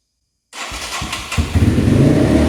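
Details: 1989 Yamaha Moto4 200cc quad after timing chain replacement, with new throttle cable: catches and races to high steady speed without dropping back; throttle hanging open, cable and slide adjustment didn't help.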